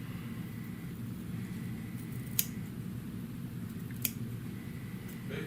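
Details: Convex-edge shears at sharpening evaluation: two sharp isolated clicks about a second and a half apart in a quiet room, the bumper tapping as the shears close.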